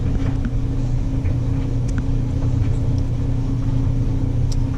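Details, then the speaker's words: Maytag LDE6914ACL dryer after tightening the loose panels, loaded with soaking wet towels, pillow and rug to unbalance it on normal cycle: steady low tumbling rumble and constant hum, no knocking; normal operation. "So once I open this, so one of these panels here was loose. All I had to do was tighten them all up, and so far there's no knocking."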